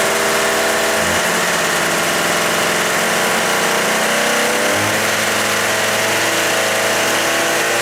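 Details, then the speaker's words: Suzuki with bad carburettor floats set high to stop flooding: idle with a throttle blip, pickup thin and hesitant. Running lean, so the least throttle makes it stop running. "And when they're bad, if you set them high enough to keep it from flooding out, then you're too lean."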